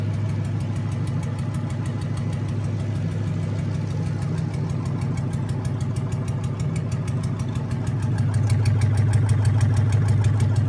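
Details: Junkyard 2009 Dodge 5.7 Hemi, about 80,000 miles, bound for a 1972 Cuda, on a run stand with new Hotwire harness and used 2009 Challenger PCM. First startup. Steady, even low idle with a deep, regular pulse and no knocks or ticks. Normal idle.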